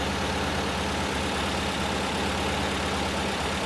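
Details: 1968 VW Type 3 with freshly installed 1835cc air-cooled engine, warming up after first start, smoke burning off: even, steady idle with a low rhythmic thrum and no knocks or misses; healthy warm-up idle.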